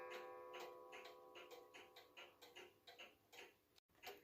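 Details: Restored Hubert Herr Black Forest cuckoo clock, movement and broken bellow fixed, running on a temporary pendulum from a Romanian cuckoo clock: light regular ticking about two per second with a faint tonal ring; movement even and healthy.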